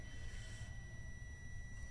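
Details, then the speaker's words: LG 42PA4500/42PA4520 plasma TV, standby light blinking, no picture or sound: steady high-pitched continuity beep for about two seconds showing short across two faulty RJP30H2A MOSFETs on the sustain board. "और यह भी यह देखो यह भी direct दिखा रहा है शॉट। बट यह इसकी वजह से ही खराब दिखा रहा है।"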